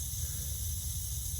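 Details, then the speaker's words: Rain Bird sprinkler valve after diaphragm replacement, water turned on: steady soft hiss of flowing water over low rumble; valve passing water normally, no leak afterward. "So now I got to do is I'm going to turn the water on and see what happens. And cross your fingers. I hear water going out."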